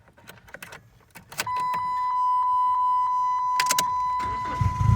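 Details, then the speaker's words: 2001 Chrysler PT Cruiser with the engine running, wheel turned after lubricant was applied inside the steering: a steady high-pitched squeal lasts a few seconds and is still present. Steering squeak, not yet fixed. "so you can still hear the sneaking noise"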